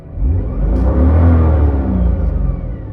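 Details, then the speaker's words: BMW with DCT on Aliexpress polyurethane transmission mounts, transmission leaking, heard inside with doors closed: a quick rev brings a deep boom and buzzing rattles through the cabin, as stiff mounts pass vibration inside. "I'll just give you a quick rev. You can hear everything rattling around. I don't have I don't even have anything in the passenger seat."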